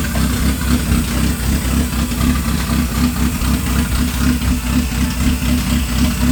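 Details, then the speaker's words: Honda Accord (CD7) just after engine swap first startup, idling; steady, even idle with deep low rumble and loud intake suction hiss, sounds like a V8, no knocks or misses; healthy. "That thing is sucking in air crazy. This thing gonna move, man. It sounds like what those what the openings are. It sounds all like V8."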